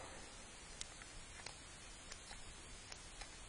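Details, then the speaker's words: 2015 Kia Soul with P0441 EVAP incorrect purge flow code: purge valve powered with a Power Probe gives faint sharp clicks over a quiet background; it opens and can be blown through, a little leakage past it, not stuck closed. "yeah you can hear it click yeah you can definitely blow through it when you open it but there's still a there's definitely a little leakage past that but it's not like it's stuck closed or anything"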